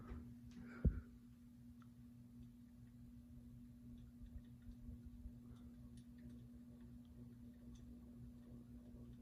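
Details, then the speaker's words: Ceiling fan on medium speed, reassembled after repair: steady hum with faint, fairly regular ticks; ticking persists but quieter than before, wobble reduced. "oh man it's still ticking but not as loudly it's making a small ticking noise now which is not as bad now"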